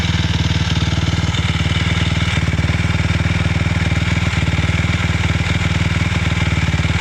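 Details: 2006 Suzuki LTR 450 single-cylinder running with a choppy beat near four pulses a second and occasional sharp backfire pops, still had power; cause unknown.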